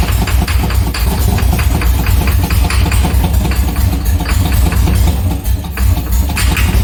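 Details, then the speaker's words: C6 Corvette with a junkyard engine on a Holley Terminator X, cranked with the jump starter in jump start mode: quick, even cranking pulses that never catch. Owner unsure it is getting fuel; the injectors are unpowered. "The motor was cranking faster, but still not. We still weren't getting it to run, so I'm not sure if it's getting fuel."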